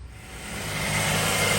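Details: 2008 Mazda 3 after AC compressor clutch assembly replacement, before the AC is switched on: steady, even idle hum with no ticks, squeals or grinding; normal idle.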